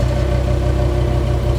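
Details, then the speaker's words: Volvo S60R, first start after 4 years, after revving to 4,000 rpm: steady idle with a faint tinny clinking over the exhaust pulses from broken debris inside the muffler, noticed after downpipe welding; muffler to be replaced. "That's the muffler. We did do some testings when we uh welded the downpipe with Alli and unfortunately there is some debris in my muffler. Something that's broken. You guys can hear that little clinging sound."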